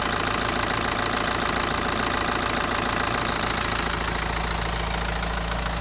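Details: BMW N47 diesel in a 118d at idle: a fast, even metallic rattle and tick about twice a second, sitting high over the engine note, from a worn timing chain (ticking, rattling, scraping); recorded before chain replacement.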